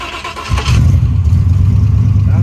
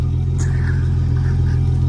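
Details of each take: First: Foxbody Mustang street car, 331 small-block Ford with 67 mm turbo, cruising on the street after sitting a long while; deep, even V8 drone at light throttle with no knocks, misses or surges; normal cruising. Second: Turbo 331 small-block Ford Foxbody Mustang, 67 mm turbo, Holley, after sitting unrun a long while: deep lumpy uneven rumble at idle, runs rough; owner assumes the Holley lost its tune, unconfirmed.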